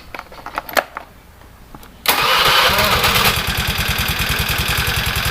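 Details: Honda Vario 110 carburetor scooter, after repairing dead electric starter and electrical wiring: a few light clicks, then starter spins and engine catches at once, settling into quick even idle pulse; normal electric start.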